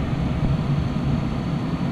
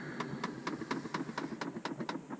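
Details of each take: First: 2010-2012 Dodge Ram after blend door actuator replacement, defrost mode selected: steady, even low rush of air with no clunks or taps from behind the dash; blend door and blower normal. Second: Dodge Ram blend door actuator clicking rapidly and evenly behind the dash, about four a second; only AC and floor airflow available, failing actuator to be replaced.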